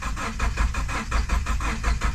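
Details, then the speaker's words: GMC Denali engine cranks steadily, about four to five pulses a second, but never fires; dripping afterward; owner suspects a blown head gasket, unconfirmed. "I think it pushed the head gasket and now it won't start literally as I was cranking I started hearing obviously that I grabbed the GoPro real quick and now it's just dripping but uh I think we got a head gasket failure"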